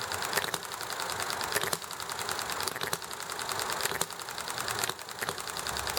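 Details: Enjomor model engine running nicely, popping along: sharp firing pops roughly once a second with quiet coasting between in an even hit-and-miss rhythm, over highway noise, alley traffic and chatting with a neighbor; normal hit-and-miss running.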